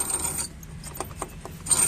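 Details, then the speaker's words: TVS Jupiter scooter, clutch cover removed, clutch pulley spun by hand: dry scratchy chirps in short irregular bursts, chir-chir noise; rusted, sticking clutch pulley bearing. "सुनाई दे रही हो गी आवाज इसकी आ रही है चिर चिर चिर की आवाज है चिर चिर चिर की"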